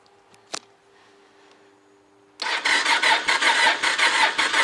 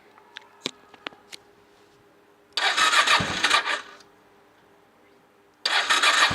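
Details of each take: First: Honda motorcycle after about 2.5 months parked outdoors, battery at 10.9 V, cold, choke pulled, clutch held: steady rhythmic cranking at roughly two pulses a second that never catches; crank, no start. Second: Honda motorcycle after 2.5 months standing in November, battery at 11.7 V, on choke: two short cranking bursts die, third catches into steady even running; undercharged battery was the cause, normal start.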